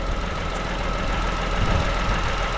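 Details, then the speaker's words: Vauxhall Corsa 1.0 Ecoflex three-cylinder petrol after new valves, head gasket and timing chain: steady, quiet, even idle with a low rumble and faint constant whine, no misses or knocks; normal idle. "That sounds really, really nice. Nice and quiet. I don't know if you can hear how quiet it is, but that is so quiet."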